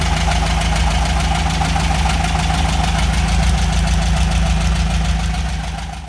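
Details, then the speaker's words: VW Beetle (Fusca) air-cooled engine, hot idle: steady fast dry scraping on the engine beat, like dry rubbing; owner suspects poor lubrication, oil light coming on, one cylinder head overheating and darker; cause not confirmed. "nem ficar tipo assim quando tá na marcha lenta fazendo um barulho assim como se tivesse raspando a seco mesmo né"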